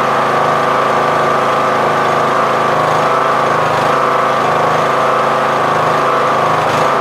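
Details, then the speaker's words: MTD Yard Machines lawn tractor, 20 HP Briggs Intek, replacement Nikki carburetor, uncleaned, fuel mixture screw broken: on choke after cranking, drone swells and sags slowly, surging; running lean. Engine surging from lean carburetor. "Sometimes it surges, as you guys can see, it surges. Sometimes if you just clean the carb, it won't surge, but more than likely it'll still surge because I broke the fuel mixture screw"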